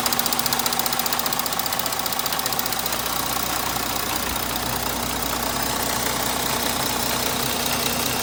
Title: Audi 3.0 TDI Motorgeräusche